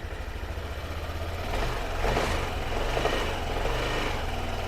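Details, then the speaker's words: Yamaha Aerox Connected scooter, engine noisy after running out of oil, checked after coolant bleeding: revs blip from low idle with loose clattering rattle rising with revs; air filter box not yet bolted down, engine itself normal. "Tu ada suara kelotok-kelotok di sana. Bok filternya belum dibaut ya."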